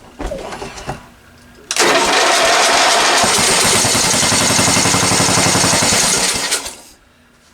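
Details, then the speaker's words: Discarded ride-on lawn tractor, small engine fed fuel sprayed into the intake manifold: catches and runs a few seconds with fast, uneven firing, then dies. Fuel starvation; the carburetor isn't feeding fuel and the owner suspects it is ruined. "it's only running on the fuel that i'm squirting down the manifold it's not drawing fuel from the carburetor so i have a feeling this carburetor is this toast"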